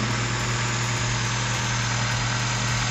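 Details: Daihatsu Taruna first start after top overhaul for oil burning (white smoke): initially limped from a too-tight valve losing compression, fixed; now even, steady idle with smooth low beat, no misses, exhaust clean; normal idle.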